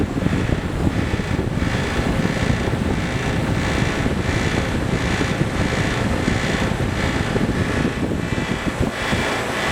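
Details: Trane XL15i AC condenser, installed fall 2013 with Trane XV80 furnace; steady fan roar with a faint regular pulsing about twice a second, a rattle in the condenser.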